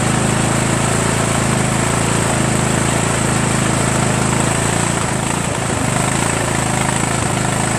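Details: 1996 Craftsman LT1000 42 hydro lawn tractor, first run after new reproduction Nikki carburetor and starter, fuel mixture not yet adjusted: even, steady single-cylinder beat at constant pitch, no misses or knocks; running smoothly.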